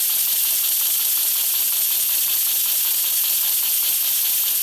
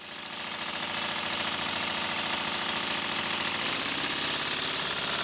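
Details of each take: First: Diabolical model steam engine run on air after timing adjustment: a constant airy hiss from the exhaust with faint, irregular piston beats underneath, because the slide valve is blowing through to exhaust; the cure is to remove the steam chest. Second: Model steam engine on compressed air after the slide valve fix, running fast, with bolts instead of pins in the valve gear: fast even exhaust beat over an airy hiss, no stumbles, runs well.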